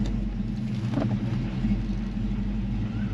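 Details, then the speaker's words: 1990 Ford Mustang 5.0 V8 Fox Body, sat 12 years, after cleaning and reinstalling the spark plugs: steady low rumble with even firing and no misses or knocks; smooth, healthy idle. "yep very smooth smooth [Music] now oh sounds good sounds really really good"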